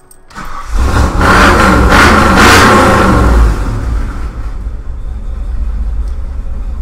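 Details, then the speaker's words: Rebuilt 351W V8 on a MABBCO short block in a truck, estimated at about 325 hp, with 4.11 gears: starts and settles into a steady, mildly lumpy idle with an even beat, sounding healthy. "idle's not too radical, but it pulls hard from about 25 to 55, almost 6 grand."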